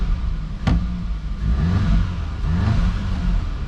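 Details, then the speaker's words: 2015 Audi S3 EA888 at first start after water pump and thermostat housing replacement and intake valve carbon cleaning (carbon had caused a cold-start stumble and misfires): smooth, even idle with brief clean revs, no stumble. "Quick rev. Sounds good. Let's let it warm up."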